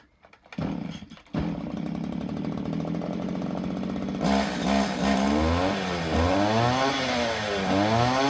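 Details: STIHL FS80R/FS85 bike-handle two-stroke trimmer after crankcase reseal with two new crank seals, passed vacuum/pressure test: catches after a couple of tries, then runs steady and blips cleanly up and down; normal running.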